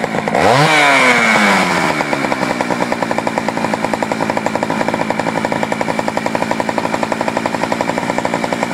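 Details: Poulan 4200 two-stroke chainsaw reported running a little lean, cold start before adjusting the low-speed screw: revs climb fast, then settle into a high pulsing run about four beats a second, slightly lean-sounding; uneven running, cause not confirmed.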